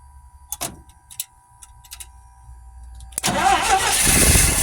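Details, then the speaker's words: GMC C5500 heavy truck, long parked, first start after fitting a freshly rebuilt Stromberg WWC carburetor: a few clicks, then the engine catches abruptly and settles into a strong steady run; normal start. "she runs she absolutely runs"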